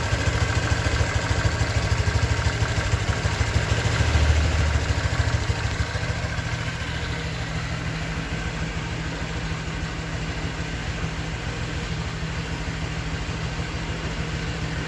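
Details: 2023 Honda Vario 125 new scooter at just over 1,000 km, idling: soft, even beat around two hundred a minute with steady low hum, no ticks or rattles; owner reckons it runs smoother than at 500 km, crediting correct break-in. Normal idle.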